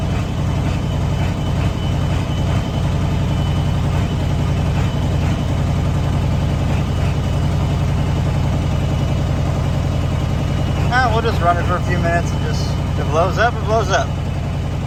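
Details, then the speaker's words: 1994.5–97 Ford 7.3 Powerstroke diesel, 300k+ miles, after IPR valve replacement and 4-line fuel feed upgrade: deep idle with an uneven loping beat, about two pulses a second, plus squeaks; owner suspected a dead cylinder, then a clogged injector, and it later smoothed out. "still having that weird Idol don't quite know what that is to be honest I wonder if it was a dead cylinder cuz now it seems to be sounding better"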